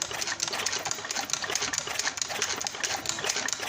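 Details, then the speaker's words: Suzuki Skywave/Skydrive 125 scooter engine after rebuild, cranked on the starter to check oil flow, watching the hole until oil comes out; quick, light, uneven clatter with no firing, normal cranking. "Normal or not, let's crank it. OK, let's crank. Pay attention to this part of the hole, friends, until the oil comes"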